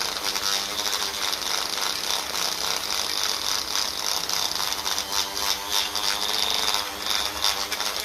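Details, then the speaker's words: Rotary polishing tool used on the aluminium diaphragm housing/inspection cover for a 1954 Ferguson TEF diesel pump: high-pitched whine with a rough, raspy grind while polishing; bearings worn and near failure, greasing tried, replacement planned. "I am waiting for this to die. The bearings are shagged."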